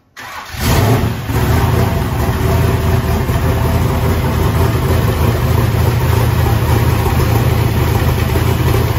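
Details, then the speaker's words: Chevrolet S-10 race truck just after valve adjustment, oil change and header gasket replacement: quick crank, catches and settles to a deep, even, lopey idle with no ticking or knocking; oil pressure 65 psi at idle, about 80 revved. "yeah sounds oil pressure good what did it carry 65 pounds to idle you go up to about 80 when i wrapped it"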